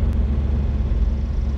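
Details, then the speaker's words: 1990 Fleetwood Bounder motorhome big-block Chevrolet V8 after exhaust donut gasket repair with new springs, studs and nuts: deep, smooth, even idle rumble with no ticking or puffing; quiet and healthy. "so I guess now all that's left to do is to start it up and listen to that whisper quiet engine [Music] man that sounds so much better huh all right we can live with that"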